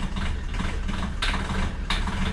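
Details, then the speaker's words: Diesel car at idle after a fuel additive was added to the tank: steady low idle with hard ticking clatter and sharper knocks. Injector noise grew progressively after the additive, pointing to noisy injectors. "धीरे-धीरे गाड़ी में पहले तो यह हुआ कि injectors की आवाज है थोड़ा सा पिकअप बढ़ा हुआ मुझे फील हुआ लेकिन उसके बाद इन ट्रैक्टर की आवाज बढ़ने लगी नॉर्स बढ़ गई"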